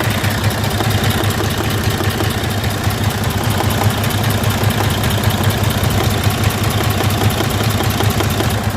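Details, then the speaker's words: DD15 diesel, warm idle: a light, fairly regular tick about once per second rides over the rumble. It was quiet when cold and started ticking once warmed up; the mechanic is almost certain it is in the valve train, not rod knock. "so I can almost guarantee it's in the valve train and it was they said cold this morning so it wasn't making noise till it got warmed up and everything moved around a bit"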